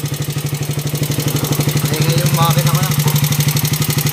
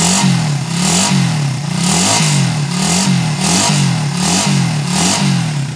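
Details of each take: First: Raider 150 motorcycle engine that became noisy: it idles with a steady beat of about three pulses a second and a dry clatter on top, pointing to a worn camshaft and tappet shims. The noise was quieted without replacing any parts. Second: Raider 150 motorcycle engine after the noise was fixed without replacing parts: small even single revs with no clatter or tapping, now smooth compared with how noisy it was before.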